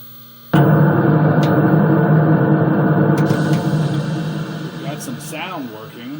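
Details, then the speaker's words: Sea Wolf arcade cabinet at power-on: loud steady low buzz through the speaker, fading slightly; owner suspects the fluorescent black-light magnetic ballast transformer, probably original, coupling hum into audio. "Listen to the speaker with the fluorescent light. It's a black light bulb. Fluorescent light. But it is making a horrendous noise for the speaker. And I think it's that transformer right there is the transformer."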